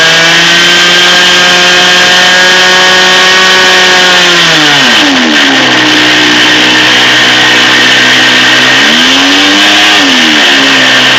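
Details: OS 46 FX glow engine in a Hangar 9 P40B, run up on its maiden before bearing replacement: high raspy buzz drops on throttle-back and climbs again with a rough, unsteady edge from worn crank bearings.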